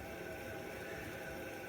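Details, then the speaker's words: Hot tub circulation pump (Aqua Flow type) with a leaking seal: a steady, rough whirring hiss with a faint high whine from a worn motor bearing; a healthy bearing should spin silently. "I can hear the bearing if your Circ pump is loud like"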